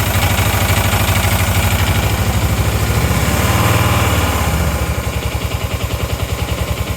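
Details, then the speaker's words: Motorcycle twin with one dead cylinder (plugs changed, coils swapped, no change): other side only runs with throttle held high, sounding really rough, lumpy thumping surging and sagging, dies when throttle released; idle screw has no effect. "If I put this down and give it some throttle, I start. Give it some throttle and keep it above that. That sounds really rough."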